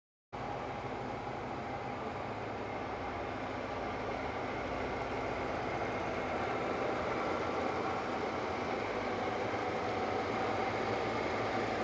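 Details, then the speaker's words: Porsche 928 GT V8 idling after a Radtec aluminium radiator install, big cooling fans running loudly: steady, even idle under constant fan roar; runs smooth, no leaks, nice burble at the back. "those things uh in there make quite a noise but uh that's running pretty sweety I'd say pretty smooth no problems no leaks us your nice burble at the back"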